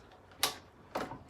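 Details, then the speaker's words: 1989 Kawasaki KX125, engine off, gearbox checked by hand from neutral through first to fifth: crisp separate clicks, each gear engaging cleanly with no grinding; normal gear selection. "okay so we're in neutral there that's first second third fourth fifth"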